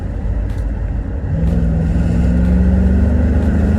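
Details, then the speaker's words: Holden Caprice with a 4L60 automatic after a DIY transmission repair that restored the lost second gear. Under load the engine pulls cleanly from low revs and its pitch climbs steadily after the shift, with no slipping flare. Second gear engages normally. "And it pulls out a second nicely, too."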